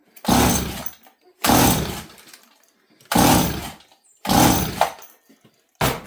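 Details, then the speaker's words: 026 chainsaw: slow pull-start cranks with no firing; owner suspects it is royally flooded, spitting fuel from the carb, yet the plug tip is dry, suggesting no fuel; no start. "I don't know why this thing's not starting makes no sense to me"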